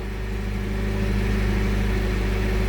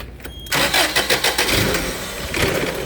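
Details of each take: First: 7FGU32 with an erratic idle, potentiometer spliced into the RPM signal circuit: adding resistance drops voltage peaks from about 37 to 25 V, and the engine settles to a steady, even hum with no hunting; normal smooth idle. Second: 7FGU32: engine catches into a lumpy idle, speed hunting as RPM-signal voltage spikes (about 37 V) upset throttle-body control; adding resistance via a potentiometer cut peaks to about 25 V and smoothed the idle.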